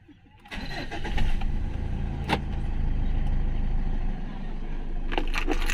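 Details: Mitsubishi Strada (Triton): steady starter cranking at about three beats a second without the engine ever catching; cranks but won't start.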